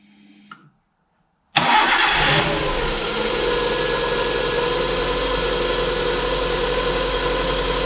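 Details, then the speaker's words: Suzuki Alto after cracked cylinder head rebuild, tappets set, run up to temperature with gauge working; quick start, brief rev, then smooth even slightly fast idle, tick-over to be lowered: normal idle. "well there she is running a sweet as a nut as you can see got a couple of justments do just lower the tick over a little bit"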